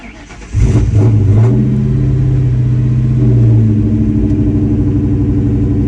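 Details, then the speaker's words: Mustang with new TPS, IACV and MAF. It starts with hiccup-like stumbles, then holds a steady fast idle around 1500 rpm, dipping to about 1400–1300. Owner cleaned the injectors twice and doubts a clog; cause unknown, maybe the tune. "so first you could hear it kind of like hiccups to start and now it's at a pretty constant 1500 it might drop a little bit to about 1400 or 1300"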